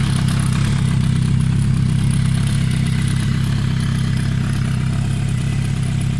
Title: Suzuki GSF Bandit 1200 strange noise on cold engine